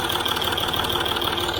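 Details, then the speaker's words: Land Rover Discovery 3 after replacing a low-pressure aftermarket oil pump with an OEM Ford pump and switching to 5W-40, fully hot oil: light steady ticking at idle, no deep lower-engine knock; owner suspects timing chain. "i mean i hear it ticking here but i think that's our timing chain yes but i hear no red link from the lower engine"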